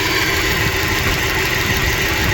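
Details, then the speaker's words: 2013 Dodge Dart idling poorly after an engine replacement, code P0303: an uneven, stumbling misfire. The cylinder 3 ignition coil arcs to ground past the boot, and after swapping coils 1 and 3 the misfire moved to cylinder 1. "that number three Cole is sparking somewhere other than in the cylinder and as you can see the misfire Trav the number one"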